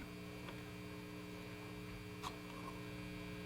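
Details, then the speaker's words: Kendrick JoyZee tube guitar amp: constant low buzzy mains hum with a small click, worsening because a yellow wire runs right next to the filament pin; runners off eyelet board to be rerouted. "gets worse. It's because it's right next to it."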